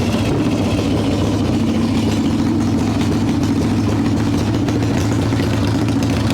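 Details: 1995 Harley Evo Softail V-twin, first start after rebuild: loud lumpy idle with uneven pulses and small surges, revving up; owner suspects intake air leaks, janky idle screw, possibly ignition issues; rough idle.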